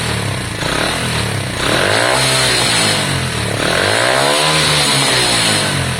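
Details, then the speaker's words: Lexmoto Valiant 125 converted from EFI to carburettor, original main jet and air filter on, air-fuel screw being adjusted; revs up and down, revs hang and drop back slowly rather than snapping back; mixture still slightly off, owner distrusts the carb. "but at the moment it's not smooth. It's hanging on its revs, etc."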